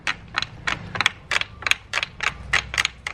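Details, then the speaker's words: Trike seat creak: sharp crisp creaking clicks about three a second with each push on the seat; owner finds it mainly at the seat hinge, tightening a bolt there reduces it, some noise possibly from taped seat connection. "I'm sure that there's extra noise coming from the seat here but I feel like maybe most of it is coming from here"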